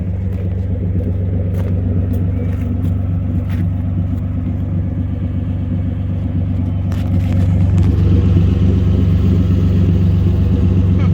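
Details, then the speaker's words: Nissan 200SX S12 idling just after fitting a new Walbro 255 fuel pump: steady, low, even rumble with no stumbles or misses; idle sounds good and less missy than before the pump swap. "Pretty responsible. Idling sounds good. Not as missy as it used to be."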